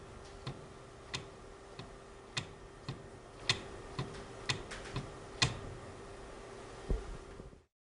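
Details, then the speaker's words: Dual-mass flywheel with a friction control disc, turned by hand: sharp, irregular clicks and knocks as the secondary mass hits an abrupt stop; this is normal. "en el volante de doble masa se nota y se escucha al Girar un tope brusco"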